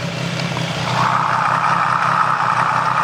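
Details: Triumph 765 engine at idle, stethoscope probe on the cylinder 1 connecting rod during a diagnosis of a ticking noise. Only a smooth, even hum with no knock, so the connecting rod sounds normal.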